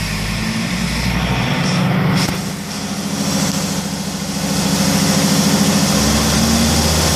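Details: Mercedes C270 CDI diesel, hot, limited to 3000 rpm: rough uneven clatter with a droning note that swells and sags. Abnormal noise when hot, cause suspected but not confirmed.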